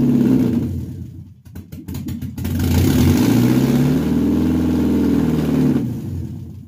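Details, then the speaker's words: Mercedes-Benz W124 with imported 2.2 engine just installed, first start: picks up and settles into a smooth, steady run with even revs and no knocking; healthy, started first try. "Mercedes Muslim 2.2 объемi boshdan kelgan Privaznoy mana yurdi buyursa. Polpinka yurdi."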